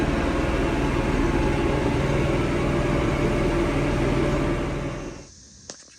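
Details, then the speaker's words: Diesel tractor chugs rough with an uneven, lumpy beat about four pulses a second, then dies. It had gone into limp mode, stuck at 1500 rpm instead of 2500, then died. Strainer, water separator and tank samples showed water, slime and contamination. Fix: clean strainer, add biocide and fresh diesel. "started running rough look at this strainer oh this is really a two-handed shot there's definitely some crap in there"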